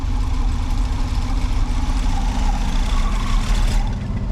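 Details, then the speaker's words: 1979 G10 van, cold-started in deep snow with choke off: deep, lumpy, uneven idle with wavering low rumble, running unhappily and smoking heavily; rough cold idle. "But hey, she's running in the cold. Choke's off. She ain't happy about running, but she is running."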